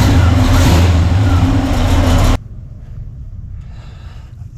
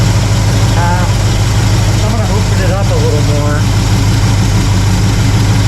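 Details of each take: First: Pontiac LeMans or Chevy C10 being tuned: a deep, slow, heavy rumble with the idle sagging too low before it shuts off. Ignition timing is too retarded and needs more advance. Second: Warm carbureted V8 (1968 Pontiac LeMans or Chevy C10) during quarter-turn idle mixture screw adjustment, little change heard: steady, even low rumble, no misses or knocks. Settled, healthy idle.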